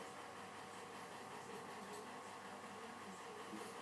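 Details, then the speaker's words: Old Australian-made Weldon tool post grinder running: steady gritty whirr and faint rasp from worn spindle bearings; new motor and spindle bearings planned. "You can hear those spindle bearings, they're not real flash, so we'll try and track down some spindle bearings for it and get this back in action."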